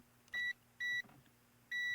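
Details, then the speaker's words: Westinghouse MobileAire fan motor stator tested with a continuity tester: three short, high beeps from a dead short between coil loops in a blackened, burnt winding. The fan is dead and the stator needs rewinding. "could say it's all fried how black it is this this is no good this fan is dead"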